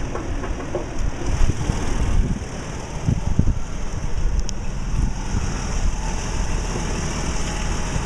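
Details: 2008 Toyota Tacoma idling: low, uneven grinding rumble from the front of the engine, steady with idle; caused by a failing belt tensioner, to be replaced under warranty.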